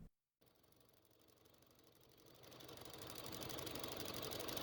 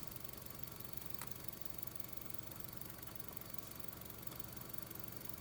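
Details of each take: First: 2005 Honda Civic 1.7L at idle: a crisp, even tapping of about four per second, lighter than valvetrain noise, felt at the evap purge valve; the sound stops when the valve is disconnected, confirming a faulty purge valve. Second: 2005 Honda Civic 1.7L at idle after the tapping purge valve was disconnected: an even, steady idle hum with no tapping ticks on top. The engine sounds normal once the purge valve is out of circuit.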